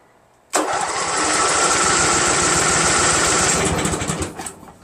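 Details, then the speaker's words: Craftsman GT6000 garden tractor repowered with a Briggs & Stratton Vanguard 16HP horizontal-shaft engine, first runs: the engine catches and settles into a steady, even fast run with a smooth exhaust beat, then fades as fuel likely runs out. Normal running. "how about that guys man that sounds great doesn't it I'm stoked fantastic"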